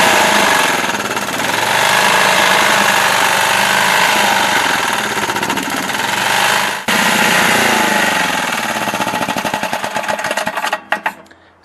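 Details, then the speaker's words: Used snowblower engine running with sharp, rapid metallic knocking of about three or four a second over the small-engine clatter. Internal engine knock, possibly a loose connecting rod on the crank, not confirmed. "you can hear that knock in that engine. So, that's a big no no."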